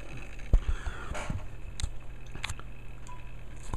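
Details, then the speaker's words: 10-year-old Dell Latitude L400 (Pentium III 700MHz, 30GB HDD) booting Windows 2000 after a prior drive crash: scattered soft clicks and crunches of the hard drive seeking; cause suspected, not confirmed. "there we go now we're windows is starting up now you can probably hear the hard drive crunching"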